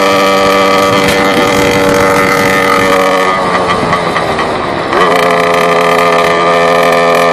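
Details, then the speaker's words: Motorbike coasting with clutch pulled in and throttle released, phone in rider's pocket: revs hold high, sag and surge repeatedly for a couple of seconds before settling to idle; cause unknown. "It's whenever I'm going, I pull in the clutch, slow down, let go of the throttle. It kind of goes this vroom, vroom, vroom, vroom, vroom, vroom, vroom, vroom, and then it kind of just slows down, and then goes to an idle."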